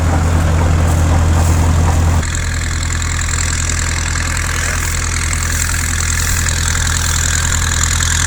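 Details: 1950s Caterpillar D4 dozer that sat at least 20 years, revived after pony motor starting; deep, even diesel rumble with a steady beat and no knocks or misses; runs smoothly.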